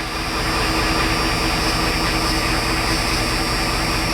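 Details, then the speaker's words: 1989 Ford F-350 with 7.3L IDI diesel, cold start after sitting a week or two, glow plugs cycled twice, idle turned up to about 1,000 rpm: steady, even clatter, no misses or knocks, strong fan roar over it; normal cold fast idle. "Says when cold to give it a half a pedal. Let's try it again. There we go. We turn the idle up"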